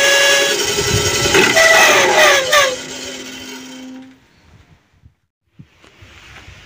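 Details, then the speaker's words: Mini bandsaw with a harsh, whistling rasp and several ringing tones that fade as the saw winds down; rough noise attributed to a misadjusted blade wheel. "Oke teman-teman di video kali ini saya akan berbagi tutorial cara mengatasi suaranya kasar seperti di video di depan tadi suaranya Kasar banget teman-teman"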